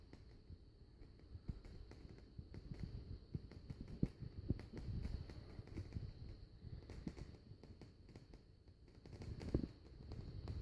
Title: Strange noise from vicol shigaclone cd player